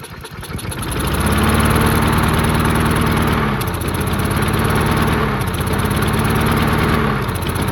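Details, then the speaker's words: Murray 22-inch push mower, 5 hp Briggs flathead, unrun 20 years, missing gas cap, found full of water: engine picks up then sags and nearly dies every two seconds, surging from fuel starvation; owner suspects debris in fuel line. "yeah not getting enough fuel that's why it's not running you take that carburetor back off and check again"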